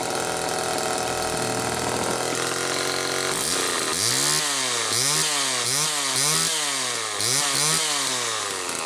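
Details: 1974 Homelite XL-2 chainsaw with early HDC carb, test run after air leak repair: two-stroke blipping up and down repeatedly, revving cleanly without stumbling; only idle slightly off. Normal running.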